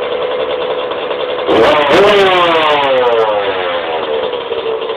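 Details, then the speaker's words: 1991 Suzuki RM125 two-stroke after fixing bogging: idle screw fixed, float height set, main jet changed 360 to 330, needle height adjusted; crisp revs rise and fall cleanly with no bogging or stumble; carburetion sorted. "yeah it's actually running pretty good now I'm going to start it up for you guys real quick"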